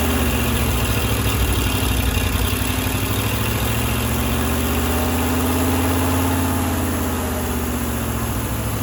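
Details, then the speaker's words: Firetruck V8, warm near 190 and kept from running hotter until a fan is fitted: smooth, steady low rumble, settled idle, no knocking or banging; timing set roughly, fine tuning to come; normal idle. "we're g to fine tune it when we get the fan I don't want to run it hot she runs good"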